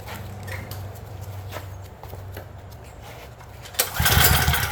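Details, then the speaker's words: Craftsman generator no-start: repeated recoil pulls with weak, uneven chuffing and no firing. There is spark, though weak, and fuel was sprayed straight in with no popping. Consistent with low compression. "Yeah, there's spark. I'm spraying stuff straight in. I'm not popping. Even though the spark was weak."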